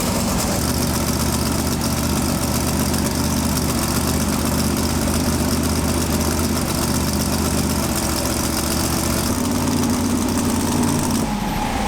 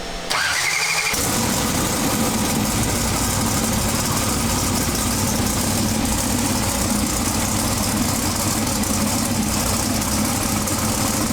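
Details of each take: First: Twin-turbo big-block pro mod drag car with a new Turbo 400 transmission, first fire-up after 2.5 years: loud, steady, fast idle with a deep even lope that never settles; throttle suspected to be on the stop and needing adjustment, unconfirmed. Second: Twin-turbo big-block pro mod drag car with a Turbo 400 transmission, first fire-up after 2.5 years of chassis and engine changes: a brief crank, catches at once, and settles into a strong, even, deep idle rumble; normal.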